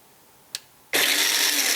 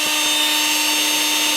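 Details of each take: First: Makita XMU04 cordless grass shear, battery at 19.44 V, previously dead, cover just opened: quiet, faint click, then motor suddenly whirs to full speed with steady high buzz; intermittent start, owner wonders if a wire got pinched. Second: Makita XMU04 cordless grass shear after repair, free speed for about 10 minutes, motor about 28 °C, battery 23 °C, drawing about 0.4 A: steady high electric whir, no grinding, rattles or surging; normal run.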